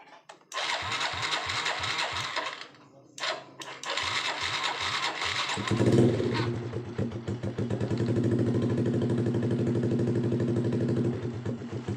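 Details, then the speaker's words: Honda Blade motorcycle after short-circuit wiring check, fuse holding with key on: starter cranks in short bursts, catches on second try, then settles into steady even idle with no misfire; normal start and idle. "Oke normal ya posisinya normal ini Oke Mantap ya udah hidup semua"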